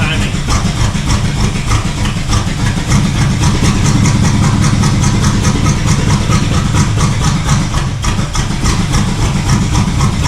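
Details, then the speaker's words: 1971 El Camino V8 after new distributor and starter; lumpy, loping uneven idle, ignition timing a little off, needs timing and tune. Finding: rough running, ignition timing off. "that's just like like a little bit off timing"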